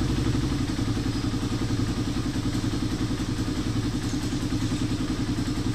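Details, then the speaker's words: Motorcycle with a noisy engine, after new timing chain and guide, shim and tensioner reset: steady single-cylinder beat at quick idle, no top-end ticking or rattle, now okay. "so pagkatapos magpalit ng timing chain with guide magr shim magreset ng tensioner umok na ung motor ni boss"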